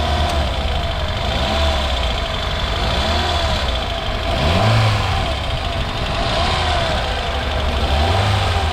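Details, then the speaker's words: 2010 Kia New Morning, about 30,000 km, no fault codes, hood open: even, steady idle with a couple of clean revs rising and falling smoothly, no knocks or rattles; normal idle. "이렇게 좀 엔진 소음을 들어보시면은 이 차량 상태가 정확히 어떤지 확인할 수 있습니다."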